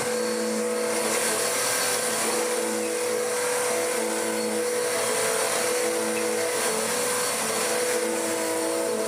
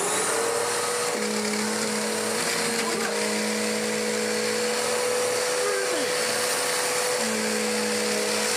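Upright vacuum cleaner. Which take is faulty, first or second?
first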